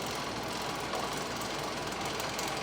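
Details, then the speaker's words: Worktable sawmill leadscrew driven by a small car-window gear motor in 3D-printed PLA+ brackets, speed setting 74: steady, even whirring rattle of motor and chain with no surges or clunks; carriage moves slowly but consistently and smoothly. "so that's moving the saw very slowly but it is moving it and most importantly it's moving it consistently so a nice consistent smooth run"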